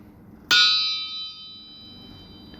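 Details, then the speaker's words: Crankshaft from a turbocharged 361 big block Mopar out of a 1973 Dodge Charger, pulled due to blow-by, struck while sitting on the floor: one sharp strike gives a clear, long high ring. The crank is sound, with no crack. "And it still rings true, so it looks like I don't have... Sounds like the crankshaft isn't cracked, so we're all good there."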